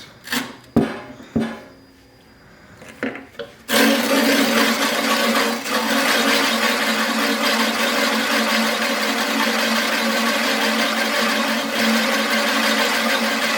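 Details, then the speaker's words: Imported metric reel mower, reel driven during lapping with grit compound after bedknife adjustment. Harsh, sandy hiss and rasp as grit bites between reel and bedknife, worked evenly to the ends; normal gritty lapping contact. "again we're getting it even all the blades you can hear the grit taking a hold make sure you get it all the way to the ends"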